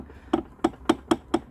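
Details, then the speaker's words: Seized Mariner 50hp two-stroke outboard powerhead rocked by hand: six hollow sharp clunks, about four per second, something loose in the bottom end; suspected big-end bearing or conrod end cap gone, possibly after overheating and piston seizure. "a clunk um you've gotten us to say that sounds very much like a journal begin bearings gone off the end caps gone off the conrod"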